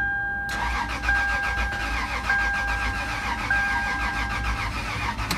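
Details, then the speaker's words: 2000 Toyota 4Runner 3.4 V6 cranks but won't start after a previous shop's timing belt replacement; steady starter cranking with even compression beats and occasional popping through exhaust or intake, mechanic suspects timing problem. "right so you can hear it cranking but it does not start one of the things I should mention is that while I'm cranking it sometimes I do hear like a popping through the exhaust or a back popping through the intake"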